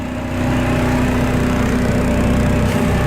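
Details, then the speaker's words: Two-stroke outboard on premixed normal fuel, just started on the water: loud, uneven idle with an unsteady beat and a buzzing vibration rattle, running very rough at low speed; cause suspected, not confirmed, before jet cleaning and Seafoam test. "you can hear from that rattle over here, it's vibrating and it's just running rough as guts."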